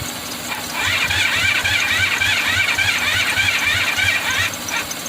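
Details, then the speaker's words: 1985 Honda VF500F Interceptor: the engine catches on gasoline sprayed into the intake, fires unevenly for a few seconds, then dies. The carb bowl has gas but fuel isn't going through the carburetors; cause unknown. "we don't have a fuel leak when i spray the gas inside of here i just don't know why it's not going through the carburetors again dude it's so stupid"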